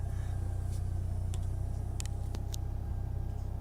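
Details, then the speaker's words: 1998 Mitsubishi Eclipse GST idling smoothly and steadily just after fitting FIC 650cc injectors and changing settings in ECUflash; air-fuel ratio holding 14.7, cycling about 14–16 as expected; owner believes the old injectors caused the earlier idle problem. "yeah it looks like it's running great it's it's maintaining that 14.7"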